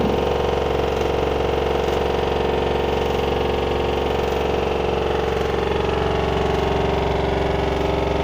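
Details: LG washer dryer combo bought November 2021 on 1400 rpm spin, level and not moving, nothing touching, no drum bearing play: fast even pounding about four beats a second over motor hum, like a jackhammer; cause unknown.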